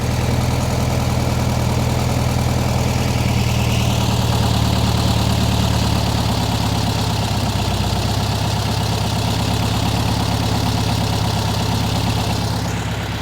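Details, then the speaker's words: 1961 VW Beetle air-cooled flat-four, warm, just after the high idle was turned down: steady even low putter that settles a touch lower and smooths out. A healthy idle. "That's better. Yeah. Yeah, it was just a little high."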